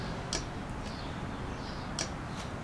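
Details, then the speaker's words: Engine at its first cold start, 65°F in the garage, after a single carburettor was installed, hand-throttled at about 1200 rpm with an external alternator loaded: sharp, irregular clicks over a low idle rumble, suspected to come from the electric fuel pump; minor intake vacuum leaks also present. "but there is definitely clicking you might hear that clicking this at twelve-hundred electric fuel pump"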